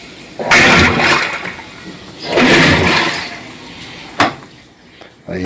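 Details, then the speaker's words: Colormaq 11 kg washing machine, previously with bearing trouble, on delicate cycle: soft water swishes in slow separate strokes every couple of seconds; normal gentle agitation. "Vamos adiantar aqui, no delicado. O delicado dela é assim mesmo, bate bem delicado."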